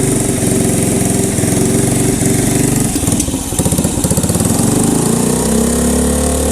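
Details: 1985 Honda ATC110 three-wheeler abandoned in a field, brake fluid sprayed down intake, on choke: rapid uneven cranking chatter with brief firing bursts, then a rough, rising idle; hard start, owner suspects gummed-up carb.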